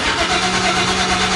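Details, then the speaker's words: Used 5.3 LS engine in a 1955 Chevy Napco 4x4 clone, first start on a new fuel system, open headers, torque converter not yet done: long, loud, rough cranking without firing; hard cranking, owner suspects poor fuel pump priming. "I still got to do the torque converter I haven't done that so it's kind of a little bit noisy but holy nothing loud not sure why this thing's like so hard cranky"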